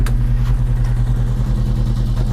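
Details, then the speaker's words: Volvo 145 driving about 30–40 km/h on a pre-MOT test drive with only one muffler/silencer fitted; loud, deep, booming exhaust drone; owner finds it too loud and considers adding another muffler but expects it to pass. Loud exhaust. "well it's a little bit loud with only one Muffler silencer well when I'm putting the r cam then I think I should maybe add another one because it's not uh even so fun to drive anymore it's it's too loud"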